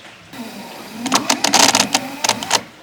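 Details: BMW E30 wiper control module making a dry rattle of rapid clicking and buzzing bursts over about a second and a half while electrical problems are checked; abnormal buzzing, cause unclear.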